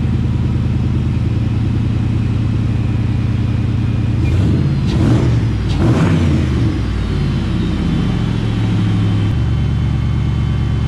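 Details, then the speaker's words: Shelby Cobra build, 2003 Mustang GT 4.6 V8, after a new high-volume fuel pump fixed slow fuel pressure: a deep, steady burble with a couple of blips, then a smooth, even idle. It runs healthy. "at least i know the car runs now and everything works perfectly so i'm excited now the cobra's finally running"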